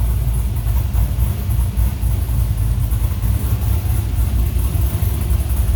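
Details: 1980 Chevrolet K10 with a Summit 150153 LS crate motor, Holley Terminator X, LS6 intake, 1302 LS1 headers and Flowmaster FlowFX mufflers, running slightly lean before tuning: deep, steady V8 rumble at a smooth even idle. Normal, healthy.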